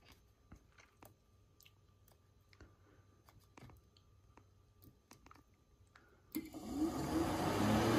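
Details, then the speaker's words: Mk1 VW Cabriolet cooling fan tested by jumping the left (red) and center terminals of the three-prong fan switch connector. The car had been running hot with the fan not running. After clicks the fan spins up to an even low-speed whoosh, so the fan works normally at low speed. "and you hear the fan so i got jumped with the center left and center and you see the fans running at a low speed"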